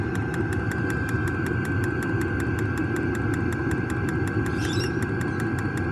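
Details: New diesel heater just installed in a Jayco Freedom caravan, running normally after switch-on with glow plugs heating: steady low rumble with a fast, even fuel-pump tick over it, heard outside.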